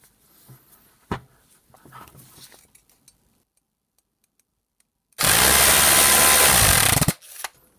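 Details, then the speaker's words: Vintage West German AEG BH25 rotary hammer, first run after plugging in before teardown: it is not variable speed and bursts on with a harsh, loud, rough running sound; the owner suspects it needs lubrication, possibly dry gearing. "So, it's definitely not variable speed. It sounds like it needs some lubrication."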